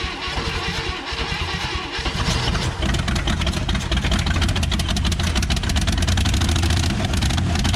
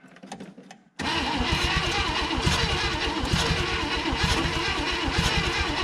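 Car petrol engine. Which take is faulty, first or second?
second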